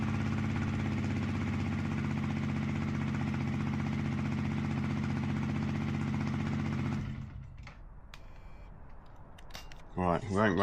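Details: Yamaha WR125X after full rebuild, fresh 10W-40 oil, in neutral on side stand: even quick single-cylinder putter at idle, no knocking or rattles, then shuts off; no oil pressure light, healthy.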